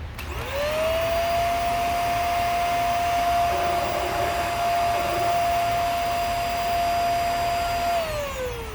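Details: Hoover Air Steerable vacuum that wouldn't turn on, clogged filters and bad bearing found: motor spins up to a steady high whine, holds, then winds down, sounding loaded and dull; consistent with a seized brush roll bearing.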